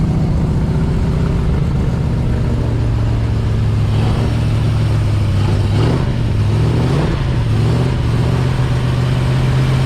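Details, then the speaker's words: New Ford 351 Cleveland V8 in an XD ute on first start, carb primed, in park: a smooth, even drone held at 2000–2500 rpm for cam break-in while oil pressure is watched, with no knocks or misses. Running clean. "Okay, get the revs up. The breaker came in, you've got to get the revs straight up to 2000, guys. Don't let it slouch around. Straight up. Keep it between two. Listen to it, guys. Sounds sweet."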